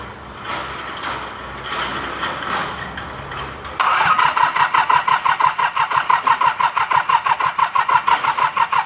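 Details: Mitsubishi K3E diesel in MT18 tractor after replacing three pistons and rings for hard starting: short crank, catches cleanly and settles into an even steady idle of about three firing pulses a second; normal start.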